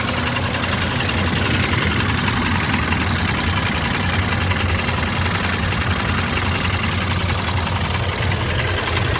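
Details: Mitsubishi Pajero 6G75 engine at steady idle: regular deep knock on every crank turn under the engine hum, suspected rod knock in the bottom end, not confirmed.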